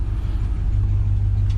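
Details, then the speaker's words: 1968 Ford F100 V8 running after the fourth carburetor swap. Strong, even low rumble with steady firing and no misses. The owner thinks the timing is set a bit high because it stutters when cranking. "i mean she's running right all right y'all uh i want to close out this video and tell you not one not two not three but the fourth operator that i got on this truck boy she's running awesome"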